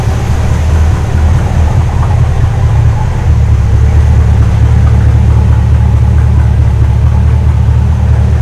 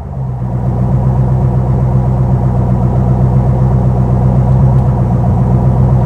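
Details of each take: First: Custom 1956 Studebaker Sky Hawk on a second start after a transmission swap, smoking, running on old gas mixed with cleaner; fresh gas planned. Loud, deep, lumpy, unsteady rumble. Rough running on stale contaminated fuel. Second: Custom 1956 Studebaker Sky Hawk V8, about 350–360 hp, mild roller cam, new exhaust, after a built transmission swap, revved and idling. Deep, even burble, smooth docile idle with no knocks or rattles. Normal idle.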